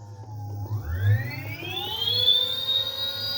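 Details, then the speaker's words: Electric bike hub motor run with a Votol controller (EM 100 update) on speed selector low: a clean whine climbs smoothly in pitch and holds steady, no grinding; a makeshift block rubs the wheel. Motor sounds healthy with this controller. "I'll let y'all hear the motor. This motor sounds really good with this controller. Your low speed."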